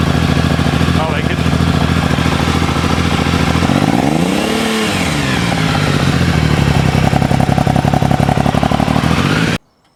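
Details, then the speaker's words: Triumph Tiger 885i with sidecar outfit fitted: engine catches and settles to steady idle, one throttle blip rising and falling smoothly, then even idle with no knocks or rattles; normal start and idle. "What was I doing? Oh, starting the engine up."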